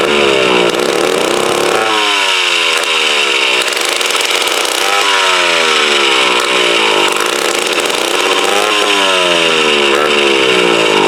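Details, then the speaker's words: Mid-1950s Strunk Speed Demon chainsaw (likely the Pro, 24" bar), bar and chain off, sat since the early 70s. Raspy two-stroke revs surge and sag every couple of seconds. Uneven running, carb needs a rebuild kit, tank dirty, ignition good. "so she definitely needs the car rebuild without a doubt you know it's been since my uncle was telling me he said it's been setting uh since the early 70s without being ran"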